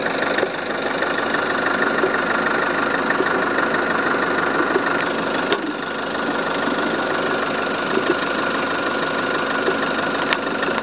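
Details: Volvo S40 engine idling: busy, hissy rattle and faint thin tone from the coolant expansion tank; strange noise, cause unexplained.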